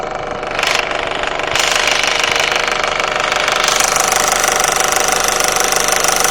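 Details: Warm 1.8T AVJ turbo petrol engine at idle: fast, fairly regular rattling knock from behind the engine, heard between 800-1200 RPM; owner suspects the cam chain tensioner or oil pump. Not confirmed.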